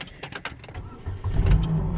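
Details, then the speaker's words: Chevrolet Cobalt that had not been starting: after the owner randomly pressed dash buttons with hazards on, a few light clicks, then the engine catches at once and holds a steady low rumble; it starts and runs normally this time. "it start up I don't know what it is but work for [Music] me works for me"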